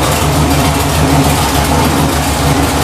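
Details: GM 604 crate (CT400, ZZ6 internals) circle-track race V8 with headers and carburetor, running on a test stand, gauges fine: deep, lumpy but steady race-cam idle with even firing beat, no knocks or ticks; healthy idle.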